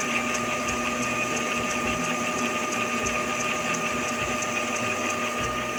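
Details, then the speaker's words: Epson L3150 inkjet with CISS refilled, after head cleaning, finishing ink priming: steady mechanical whir with fixed whine and light regular ticking about two per second; normal ink priming cycle. "Так, принтер заканчивает прокачку."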